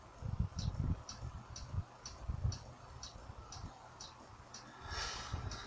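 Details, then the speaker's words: Hard drive spinning up: faint, sharp ticks repeat about twice a second over a quiet hum; the drive keeps clicking and isn't reading properly, the head feels like it is cutting the platter. "тут надо срочно смотреть голову потому что она такое ощущение что она режет по винту по блину"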